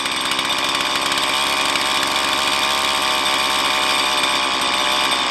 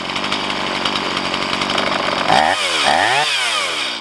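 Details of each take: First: Stihl MS170 chainsaw with 16-inch bar, idle about 3,500 rpm while adjusting low-speed mixture screw: shrill buzzy idle rises then sags as mixture is leaned too far; lean idle mixture. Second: Stihl MS170 chainsaw with 16-inch bar, upgraded with Farmertec parts, after setting idle mixture and idle speed: even steady idle, then quick throttle blips returning cleanly; normal idle.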